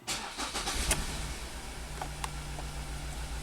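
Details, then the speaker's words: 2017 Ford Transit Connect, jump-started after a rainstorm, during a power balance test: engine shakes hard with a low, lumpy idle on 3 of 4 cylinders. Cylinder 3 misfire; its ignition coil was found installed crooked. "Okay. It's shaking really hard. There we go. Cylinder number 3, 1342."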